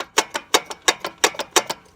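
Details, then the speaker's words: 2002 Chevy Silverado 1500, rear driver's side wheel, engine off: light metallic clacks in quick pairs from the parking-brake shoe area; owner suspects it causes a rattle/grind below 65 mph, unconfirmed. "so this is the rear driver's side tire and you can see the emergency brake and I believe I don't even know if this is called the brake shoe but this is what's rattling"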